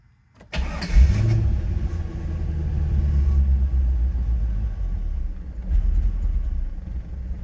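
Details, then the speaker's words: 2000 Chevrolet Corvette C5, parked for many years, after cycling fuel pump: cranks, catches and revs, then rumble sags unevenly and dies; responds better with throttle, won't stay running, likely fuel delivery. "problem is it will not stay running i think i'm going to cycle that fuel pump a couple more times"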